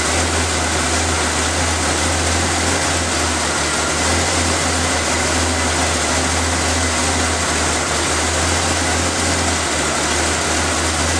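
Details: Engine started after the valve cover, vacuum lines, air filter and cover were refitted, to listen for hissing air leaks; steady even idle with a smooth low hum, no hissing anywhere. Normal idle, no vacuum leaks.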